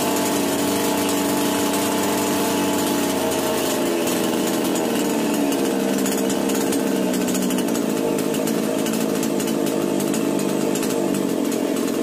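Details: Chainsaw running after starting-problem repair: high, steady two-stroke buzz holding an even speed without stumbling or popping; normal running.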